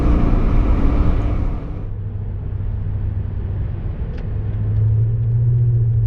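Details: Toyota Tundra TRD with a BAmuffler TRD replacement exhaust, going uphill at about 55 mph and 1,500 rpm after dropping down from sixth gear. A steady low drone swells under load, slightly louder but not annoying; it goes away back in sixth.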